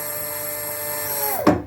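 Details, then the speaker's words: Brushless servo motor newly fitted to a 1945 Singer 241-11 sewing machine, belt not yet connected, running at low speed. Smooth, steady high hum with no rubbing or ticking; sounds healthy. "I got my brushless servo motor down there. So, you know, ignore the fancy feet wear here. If you can hear it, Here's a low speed."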